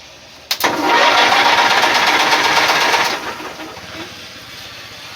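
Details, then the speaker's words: Bolens QT17 garden tractor, stuck from years of sitting and soaked with diesel in the cylinders, jumped at the starter since the key won't crank: starter spins into an even whirring crank, about four beats a second, no binding; engine now turns freely (later found no spark). "What do you know, guys? Cranks over. I am happy about that."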